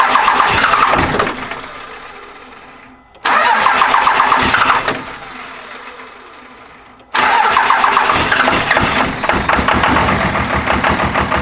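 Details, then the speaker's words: Second-gen 24-valve Cummins diesel, injector lines cracked to bleed air; three long cranking bursts with uneven hit-and-miss catches before it fires and keeps running rough: hard start from air in the injection lines. "Started cranking the truck over, a little hit and miss here and there, a little hit and miss, and she fired up."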